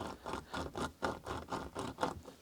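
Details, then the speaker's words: Classic Mini Cooper 1275 automatic, front right wheel bearing removed and turned by hand; gritty scraping rasps three or four times a second; bearing completely torn apart with metal pieces inside, had made a high-pitched squeak. "Yeah. There's no doubt about this bearing is completely toast."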